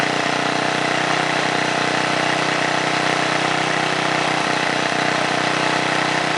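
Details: 1978 John Deere Tecumseh HM80 8 hp 318cc single-cylinder snowblower engine, restarted: steady, even run with a consistent note, no knocks, misses or surging. Normal running.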